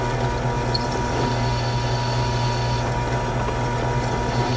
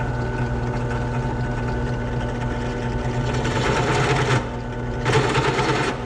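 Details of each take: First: Drilling the aluminum engine casing of a Yamaha YFZ450 for an oil mod: chatter gone once cutting at the bit's full diameter past an existing hole; even, steady hum, a smooth, clean cut. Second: Drilling an oil-mod hole in a Yamaha YFZ450 engine part with the piece clamped down: steady drill hum breaks into rough buzzing bursts as the bit chatters cutting aluminium.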